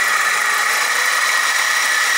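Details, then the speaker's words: 2006 BMW 320i E90 2.0L with ZF6HP19 automatic, engine codes present, idling: steady hissing whir with thin high whine from the belt side; noisy idler pulley bearing, tensioner also possibly noisy. "starter up and we've got uhit of a noisy idler bearing probably the tensioner there and then there's an idler bearing over here this one very noisy"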